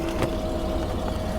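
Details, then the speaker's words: 2014 GMC Sierra running after a high-speed CAN bus no-crank fault was fixed: even, low engine hum with a faint steady tone and no knock, whine or clunk. The earlier transmission noise has gone away. "if that goes away that transmission noise has also went away also it's almost like maybe the the torque converter drained the pump drained or something"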